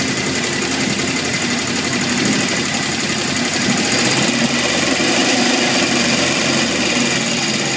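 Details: 1978 Honda CB750F, metal shavings in oil pan, low warm-idle oil pressure until engine shut off; loose, uneven metallic rattle over busy four-cylinder idle; owner suspects crankshaft bearings, unconfirmed; engine rattle.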